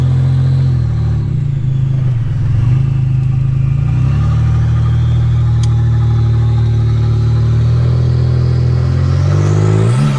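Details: 1985 Nissan 300ZX Turbo (Z31) driving after misfiring under boost, new spark plugs and wires and fixing vacuum and boost leaks: strong low engine drone climbing with throttle, clean pulls into boost, loud exhaust, no knocks or misses; not yet floored or redlined.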